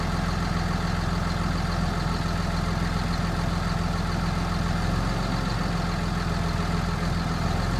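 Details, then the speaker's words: 2006 Cummins CM849 ECM engine swapped into a non-CAN 2001 7.3 Powerstroke, stationary at idle: the steady diesel drone changes as a simulated vehicle speed signal (pulse-to-CAN) makes the ECM add fuel and torque. "If the engine know it's moving or think it's moving, it even sounds different."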